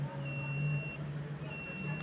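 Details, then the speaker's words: Multimeter in continuity mode testing a small LED light: steady high-pitched beep, brief break, then resumes; the continuity alarm demonstrating a shorted LED. "अगर ये जो LED light होती है ना guys अगर ये short होगी तो इस पे कुछ इस प्रकार की बीप आएगी।"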